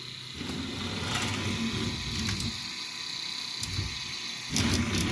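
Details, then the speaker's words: Anet A8 3D printer with new belts and linear bearings: soft even whir as the axis travels, no scraping, rubbing or drag; running quietly as expected. "these are new belts with linear bearings you can barely hear that there is no drag"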